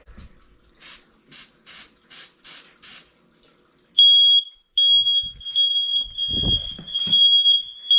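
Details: Downstairs hallway smoke alarm during January smoke and carbon monoxide alarm test with test spray: steady piercing high-pitched tone, loud and even with handling noise; alarm works normally, needs manual reset after.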